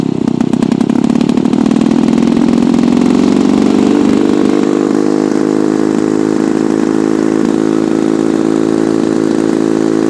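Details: Lawn-Boy F Series two-stroke mower, warm start: catches and settles into a loud, raspy, buzzing unmuffled run; the muffler has a hole, causing an exhaust leak and extreme loudness.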